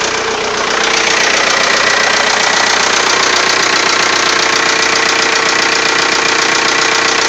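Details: TDI diesel idling just after a cylinder head replacement: sharp regular tick about three per second over the clatter; owner suspects a valve, cause not confirmed.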